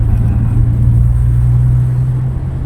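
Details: Toyota Innova driving after repairs for a suspension noise (ball joint, rack end, arm bushing, rear stabilizer rubber replaced; rear brake pads refitted); steady low road rumble, no knocks or clunks, suspension and brakes quiet and healthy.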